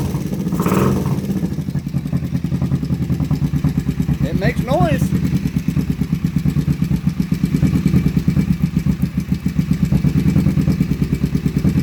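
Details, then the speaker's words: Kawasaki Vulcan 500 first start after carb kit and cleaned carbs, on choke: fast, even ticking over a lumpy idle; suspected terrible top-end noise, source not pinned down. "holy running [Music] we have running go ahead and pull the choke again sounds like we might have terrible top end noise"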